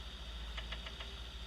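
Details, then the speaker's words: Idling engine with a low rumble and short runs of sharp metallic knocks, about seven a second, changing as cylinders are disabled in turn: connecting rod smacking the crankshaft. "It's a Yep. connecting rod. It's coming down. It's smanking on that crankshaft. Bam, bam. As it smacks, it makes that noise."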